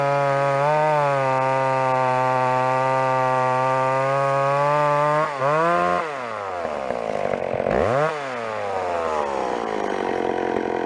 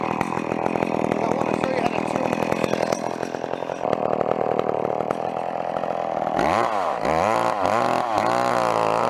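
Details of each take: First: Old McCulloch two-stroke chainsaw after carburettor tuning: even steady buzz at idle, revs up and drops back smoothly with no stumble or bogging; normal running, well tuned. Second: Old McCulloch chainsaw at full throttle with the high-speed carburetor screw opened too far: thick, blubbery note that sags and surges unevenly; bogging from an over-rich high-speed mixture.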